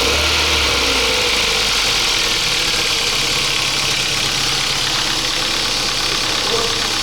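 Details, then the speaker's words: 2007 Kia Ceed 1.6 petrol, 150,000 on odometer: quick light ticking about four a second from the top of the engine, heard cold at idle, usually fading when warm. Chain was replaced earlier and oil use has risen. Suspected intake cam phaser; replacing it removed the noise. "kiaasit 2007 рік 1.6 двигун на одометрі 150 000 пробігу і маєм стучок слухайте чуєте прогрівається пропадає буває не пропадає"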